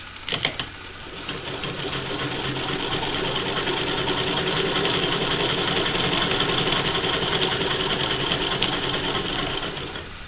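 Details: Vintage sewing machine, after cleaning and generously oiling a mechanism left dry for decades. Smooth, even light clatter as the hand wheel turns, with no creak or squeak underneath; it runs freely.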